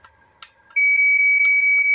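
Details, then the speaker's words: Visatec Logos 1600 Swiss monoblock studio flash, capacitor charged to full, fired at highest power: faint click then steady high two-tone beep, no flash pop; error A2, lamp won't fire (bulb intact). Cause attributed to unstable power, age, rapid firing, high power use, or dirt shorting circuitry. "Ya, dia nggak mau nembak tuh teman-teman ya, hanya bunyi-bunyi. Bunyi-bunyi aja. Nah, itu dia teman-teman ya. A2. Jadi flash ini mengalami error A2."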